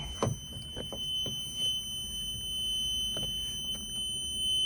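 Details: Rebuilt Yanmar 2GM20F diesel in a Prout catamaran, start attempt with fuel not yet bled through: a steady high-pitched warning buzz holds unbroken over faint clicks. The alarm panel is wired to the wrong panel.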